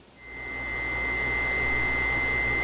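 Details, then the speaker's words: 6-year-old GE Profile refrigerator, noise from the bottom for 3 months: compressor overworking and overheating because condenser coils are clogged, giving a steady piercing ~2 kHz whine over a low hum; cleaning the condenser coils removed the noise. "The the compressor works overtime, overheats, and you could hurt or destroy the compressor or the bearings and possibly create unusual noises such as this high frequency 2 kHz sound."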